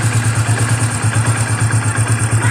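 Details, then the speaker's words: Hero Passion Xpro i3s motorcycle at idle after fixing the timing chain tensioner: steady even idle thump, no ticking or top-end rattle; engine now silent, normal idle. "सब perfect हो चुका है engine उसमें हम silent हो चुका है"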